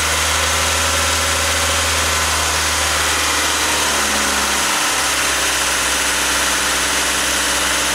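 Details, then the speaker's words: Engine idling after a stone-cold start during an idle air control valve check; steady, even idle hum with no misses or knocks, speed easing slightly as the idle settles; normal cold start idle. "Okay, it's been about 10 minutes. The idle has kind of settled down."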